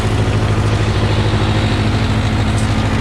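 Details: 1968 Case 580 CK diesel tractor, first start after sitting a long time: steady idle with even low thumping pulses and no knocks, running normally; hydraulics known not to work.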